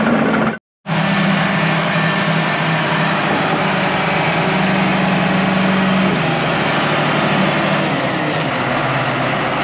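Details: International IH 175C track loader diesel, sat a long time, freshly serviced with fluids and filters changed, run outside while bucket kick-out valve adjusted: steady even rumble settling to smooth idle, no knocks or misses; normal idle.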